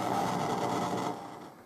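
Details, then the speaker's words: Amplifier grounded only through the power ground, no other grounds connected, still giving raspy static hiss and mid buzz that fades; owner concludes it is not a ground loop, cause still unknown. "so as you can see it it's getting its ground from the power ground there so no other grounds are connected i'm still getting this noise though so"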